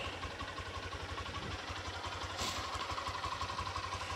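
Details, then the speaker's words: Lifan KPR200 motorcycle with 2500 km, just started: steady, even exhaust thump at quick idle, about three beats a second, no knocks or ticks; exhaust dominates, engine itself barely audible; normal idle. "вот так вот он звучит выхлопная ну принципе оглушит очень много сам двигатель практически не слышно"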